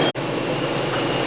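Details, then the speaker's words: Paint booth exhaust fan: a constant high-pitched whine over rushing air that occurs only when the doors are closed; the owner suspects a leak but can't find one, cause unknown. "I apologize for this noisy whine that my fan is making these days. I don't know what that's all about. It only does it when the doors close."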